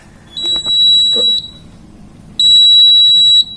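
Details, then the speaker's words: Cooper fire alarm panel showing a battery charger fault. Two long, shrill, steady beeps of about a second each, a second apart, from the fault buzzer; the battery connections are then redone. "अभी ये Cooper का panel में कुछ fault आया है। इस पे लिखा है चार्जर फॉल्ट बोल के।"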